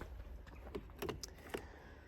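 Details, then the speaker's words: Jaguar I-Pace charge port with the charging cable plugged in: faint, irregular ticks about every half second as the faulty lock actuator pin cycles in and out and can't lock, so charging won't start at public or home chargers; actuator replaced. "And that ticking basically means that it can't lock, that's why it's going in and out. And it means basically you can't charge your car, whether it be public charger or home charger."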